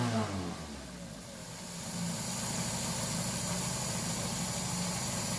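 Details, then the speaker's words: Carburetted car that had idled unevenly and shaken, running lean, after fitting an intermediate-size idle jet: starts well and settles into a steady, even idle with no stumble or hunting, and accelerates well; normal idle. "le colocamos un chicler intermedio así queda justo ya vemos que arranca bien queda regulando perfecto y acelera bien"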